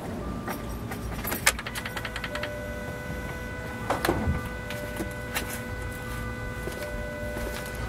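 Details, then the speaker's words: Jaguar with no-start after thermostat housing replacement, key turned to on: faint, steady high buzz from the engine bay starts at key-on and holds; cause unknown, owner unsure if normal. "I don't know if the microphone picks up that kind of buzzing sound in here I don't know if that just goes until I start the car what"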